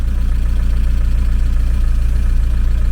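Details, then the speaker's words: VW T3 camper with AHU TDI diesel, first start after a blown turbo was swapped for a used unit, after months sitting: steady, even idle with regular low thumping, no knock or rattle, slight exhaust smoke. Normal idle. "all right that sounded good everything's looking all right here"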